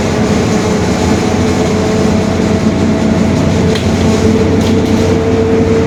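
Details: 2021 Marcopolo Torino S stretched bus on a Mercedes-Benz OF-1721 BlueTec 5 chassis, driving; a faint, constant mid-pitched hum holds under steady road rumble. The differential is growling (differential whine).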